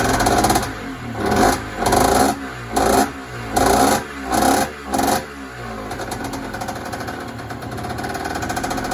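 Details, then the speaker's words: Yamaha DT50 two-stroke on first start after rebuild, stock carb: six sharp rev bursts about once a second, then a light, uneven tickover; the idle screw was out, fixed by turning it clockwise half a turn. "okay so the idol was a little bit out on this carb to get it running just turn this little screw here just turn it in clockwise half a turn and now it runs and ticks over great"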